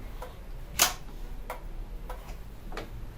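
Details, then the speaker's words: TV that keeps switching on and off: sharp power-relay clicks repeat about every two-thirds of a second as it retries start-up; cause not confirmed, could be NAND flash, LED backlight or panel. "tık tık röle sesi geliyor şu an"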